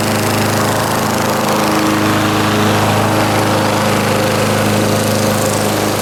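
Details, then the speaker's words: 1989 Lawn-Boy S21ZPN push mower with replacement 4.5 hp Tecumseh Eager 1 engine (originally 2-cycle 4 hp F-Series), cold start, primed once, throttle about half: steady, even part-throttle drone, no misses, knocks or surging; normal running. "Alright, so this is a cold start. Hand on the block, stone cold. I'll go ahead and I'll set it to about, I don't know, half speed or something."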